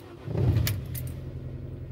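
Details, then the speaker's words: Mini cold start at 8°C, battery tested at 540 of 640; quick crank catches in under 2 seconds (versus 2.4 s on an earlier hard start) and settles to a steady, even idle; normal cold start, though intermittent hard cold starting remains undiagnosed. "ça démarre nickel alors pas au quart de tour mais ça démarre quand même vachement vite"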